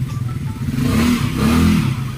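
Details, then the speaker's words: Yamaha Mio Sporty scooter after a top-end refresh (new piston, replacement for a sunken, leaking intake valve): revs swell smoothly and ease back with no knocking or rattle; new piston still to be broken in; normal revving. "So bibreakinin pa ng konti dahil bagong piston yan, pero okay na."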